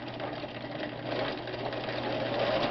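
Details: Vintage Viking 6690 sewing machine sewing: fast, even whirring chatter at constant speed with no knocks or catches; normal sewing operation.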